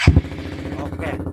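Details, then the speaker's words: Used 2017 Suzuki GSX-R for sale, just after start-up: it settles into a steady, even low idle beat with no knocks or ticks; the idle is described as still smooth and healthy. "dari suara langsamnya juga masih masih terdengar halus ya"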